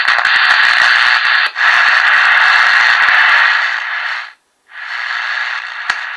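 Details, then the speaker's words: Realistic TRC-453 CB radio with very loud receive that cannot be turned down: harsh static hiss from the speaker with brief dropouts; suspected bad solder joint on the mode switch, later traced to the mode switch ground. "so i'm thinking it's probably the motor switch soldering the soldering punch might be bad so i have to go and take off this bezel little bit deeper"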